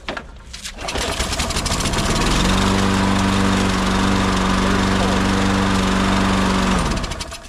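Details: Troy-Bilt lawn mower about 4-5 years old, no primer, hard starting yearly; after spraying carb/choke cleaner into the carb with air filter off, it catches, revs up and settles into a steady, even buzzing run with no misses; running fine.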